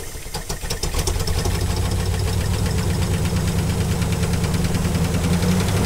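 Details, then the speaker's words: 1956 Buick Special with 322 Nailhead V8 and automatic, revived after 25 years sitting by cleaning points, running on a temporary fuel tank: steady even low rumble at idle with no stray knocks; sounds healthy. "sounds pretty good don't you think"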